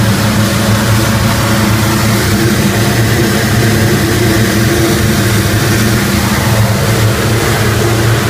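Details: Rotec R3600 engine on test-stand dyno after mixture leaning (10–11 L/h) and magneto checks, head temperatures rising; loud deep steady roar with rhythmic throb, running normally.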